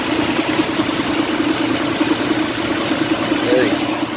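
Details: Mitsubishi Montero with long crank time, fuel pressure dropping quickly and a suspected fuel pump check valve, running after fuel pump work; steady, even idle with a light hum and no misses, knocks or stumbles; normal idle.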